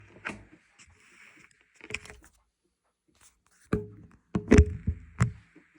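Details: Whirlpool WTW5105HW top-load washer during the wash cycle: a high, scratchy squeak comes and goes, broken by heavy thunks as the load shifts.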